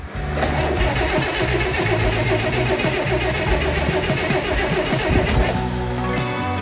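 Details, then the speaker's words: 1964 Corvair Monza Spyder turbo with a freshly rebuilt engine, first startup. The starter churns steadily but the engine never fires, even with fuel sprayed in; it is starved of fuel, with only weak flow at the pressure regulator output. "and it still didn't work. So, after that thorough investigation, we wanted to check the fuel lines to see if any fuel was even getting to the car."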